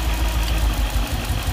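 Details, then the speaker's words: Nissan D40 Navara with freshly swapped VK45DE V8, first start, fuel possibly still airy, slow lumpy idle about 500 rpm with uneven stumbling beat; one cylinder down, owner suspects injector, later traced to dirty injector plug contacts. "hey i think we still got one not quite right yeah it feels like one down"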